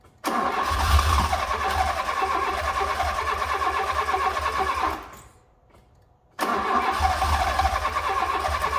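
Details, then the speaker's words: Fiat Punto GT long unused, relays refitted; steady even starter cranking about five seconds, a pause, more cranking, turning over a bit slow and never catching; likely short of fuel, suspected not confirmed; cranks but won't start. "It's not starting. Just seems to be turning over a bit slow as well."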